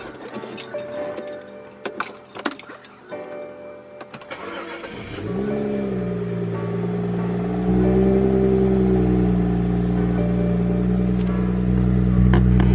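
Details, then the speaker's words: BMW 335i E90 N55 six, cold start after sitting overnight, following replacement of all six spark plugs and ignition coils: cranks, catches quickly, settles to smooth steady idle, rpm no longer bouncing; normal cold start and idle. "RPMs look good, guys. They're not bouncing around anymore. Beautiful. That's what a healthy N55 is supposed to sound like."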